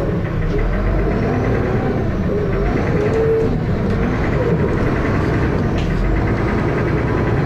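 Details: First Manchester Dennis Arrow bus 31923 (P423PVW) diesel, recorded 2012: heavy low thrash with a loud repeating knock over idle and running; cause unknown.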